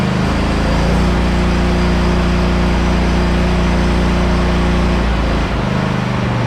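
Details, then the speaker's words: Hustler Raptor SD 54" zero-turn mower with a 25 hp Kohler 7000 series engine at 100 hours, cold start after sitting a couple of days; catches quickly and idles smoothly with no knocks or misses. "this is uh from a cold start and i haven't started it in about a couple of days since i mowed last"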